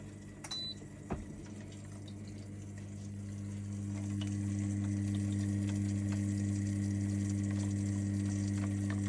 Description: Grab a repair kit above to solve that clicking sound which is causing your E02 on your lay z spa Hot Tub